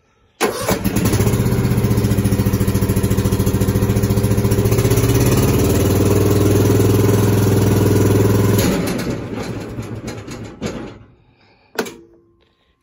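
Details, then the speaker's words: Husqvarna TS 248XD riding mower dies when the PTO is engaged: engine runs steady, then sags hard and stalls. Belts, bearings and pulleys checked okay; owner suspects the PTO. "that's what it will do and with it doing that it sounds like it could be a belt or it could be a bearing or even a pto"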